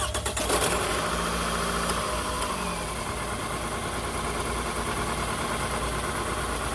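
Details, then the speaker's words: 2006 Toyota Camry four-cylinder, started and idling: catches and settles into an uneven, shaky idle with a stumbling beat, not firing on all four cylinders; misfire from a failed ignition coil pack. "the miss did the shake in the motor that's how you can tell that you have it that you're not firing on all four cylinders"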